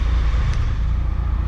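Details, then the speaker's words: Triumph Tiger 1200 Explorer at 45,645 on the odometer, idling after repair: excessive play in the alternator housing and bearings, bearings replaced. Smooth, even low idle rumble; the former alternator "clock" knock is gone. "Então não temos mais o clock que tinha, né, que vinha aqui do alternador. Não tem mais isso."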